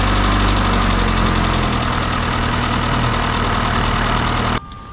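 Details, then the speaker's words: Opel Astra H started right after battery replacement: steady, even idle with a smooth low hum and no knocks, misses or hunting before switch-off; normal idle. "bateria foi trocada vamos ligar para ver se não tem problema"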